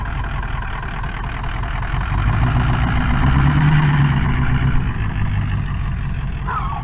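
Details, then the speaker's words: Powerstroke diesel pickup at first start, smoky: lumpy, uneven idle at about 220 pulses a minute with one firing seemingly missing. Owner says it has a weak cylinder and plans to crank it with the engine off to check for a dead one. "definitely got a weak weak cylinder that hole we should shut it off and just crank it see if it sounds like a dead one"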